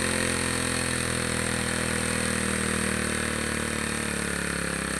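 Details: Two-stroke grass trimmer that stumbled on acceleration, carburetor cleaned and reassembled, mixture screw being tuned (counterclockwise richer, clockwise leaner) to find peak revs then backed off; high buzz holding steady then easing down slightly; speed change during carburetor adjustment.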